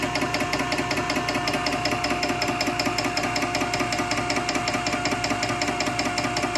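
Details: Nugier Co. 100-ton hydraulic press, ram extending: steady hum under even pulsing about two and a half beats a second, smooth and quiet, no weird noises; motor sounds good, normal operation.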